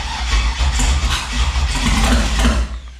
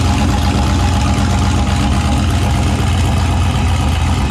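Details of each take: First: Turbo 5.3 LS-swapped Mustang: labored, uneven cranking at about three to four turns a second, fading out without catching; starter dragging on a small, weak battery mounted far away, later confirmed as the cause of the starting issues. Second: Turbo 5.3 LS V8 Mustang build, first successful naturally aspirated startup after fixing a weak-battery starting issue and swapping the passenger-side injector harness wiring; catches and holds steady even rumble with throttle blips, then shuts off cleanly, normal idle.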